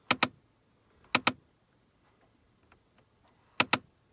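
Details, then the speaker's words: 2006 Chevy Impala, key on, adjusting passenger-side temperature: sharp double clicks from behind the dash, three pairs in four seconds, from a failing passenger-side HVAC heater blend door actuator located behind the glove box. "So you can hear it click in there. What I have came up with as the problem is the fact that it is going to be the HVAC heater blend door actuator, which that is also the part number there, for the passenger side."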